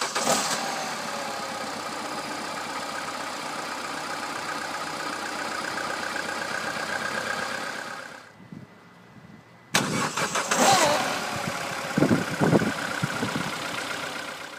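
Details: 2008 Peugeot 207 1.6 VTi 90 kW, cold start: raspy, whirring chatter while running, shuts off, then restarts with a sharp clatter; abnormal cold start noise, suspected drive belt or tensioner, or starter pinion/bendix slow to disengage, not confirmed.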